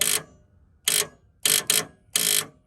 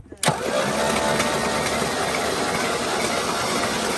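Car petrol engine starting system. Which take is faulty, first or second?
first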